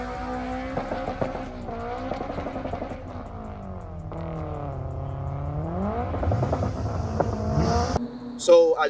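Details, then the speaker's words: Turbo FD2 Civic Si with an FX500 clutch, cooked by a third-gear burnout. Revs flare after each upshift without matching road speed, with slipping heard from the shift into second. Clutch slipping under load; Clutchmaster twin disc planned. "So I tried a third gear burnout. I kind of, cooked the clutch. You guys can tell first was second. Right when I hit second, you can hear the clutch slipping."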